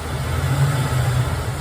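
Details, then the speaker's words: 1992 Nite truck V8 after fixing a vacuum leak from a poorly installed intake gasket: low idle swells and sags in uneven waves, hunting for idle; throttle body adjustment screw bent and folded, tapping the idle speed motor sometimes steadies it. "but it's hunting for an idle. Some idiot has had this throttle body up. They bent this all up."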